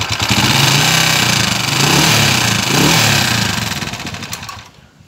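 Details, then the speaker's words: TMX 155 motorcycle: a tinny, fast, can-like rattle inside the engine that rises with revs. "aan narinig niyo po yung andar niya parang lato may lato siya sa loob tapos Basag yung tunog ah parang lata yung andar"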